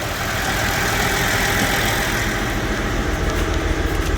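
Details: Massey Ferguson 1105 tractor, 6-cylinder Perkins diesel, first start after about 10 years sitting, with a rebuilt injection pump and new filters. A steady, even diesel clatter at idle, about three or four pulses a second, smoking, with no misses or knocks. It has oil pressure and runs healthy.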